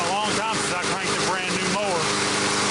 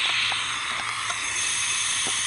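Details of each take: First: Cold start of a brand-new MTD mower's Briggs & Stratton engine after freeing a stiff valve stem (assembly lube): after some music, a steady, even high-pitched idle settles in with no misfire or clatter; it runs fine. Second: Brand-new, unused MTD mower with Briggs & Stratton engine, no compression, leak-down tester in spark plug hole while turning engine over: steady rushing hiss out the carburetor, meaning the intake valve is not closing.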